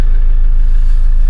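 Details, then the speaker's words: Toyota Land Cruiser 79 series four-cylinder diesel, automatic, cold start after a freezing night: steady, even low rumble with no cold start rattle or knocking; quiet, healthy idle. "Oh, no cold start rattle. Did you hear that? That was quite a quiet start."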